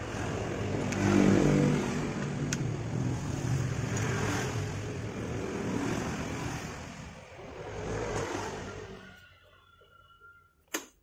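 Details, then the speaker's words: Fairly new Yamaha scooter that ticked loudly at idle, after the valve clearance was set with a 0.10 feeler, left slightly loose: idle now a steady, softer single-cylinder putter with no sharp ticking, then shut off; valve adjustment cured it. "Nah suaranya langsung beda ya langsung sedikit adem kan tadi ngelitik banget saat langsam seperti ini ya"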